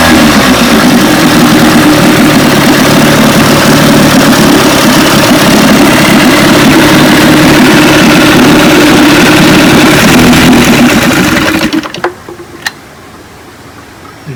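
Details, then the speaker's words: 1957 18 hp Johnson outboard, restoration #106, barrel test run: even, steady two-stroke idle with crisp regular beat and no misses until shut off; passed the barrel test, running clean. "tell she's a beauty once again uh destroyer 106. 1957 18 horsepower johnson passed the barrel test"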